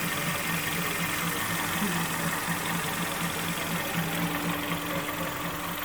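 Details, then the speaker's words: Kia Sportage 3 2.0 G4KD, first start after a full engine overhaul, heard from underneath while warming up: quiet, steady idle hum with faint, even valvetrain ticking, no knock, everything dry and quiet. Normal idle. "Вот так он работает снизу. Прогресс. Все сухо. Все тихо."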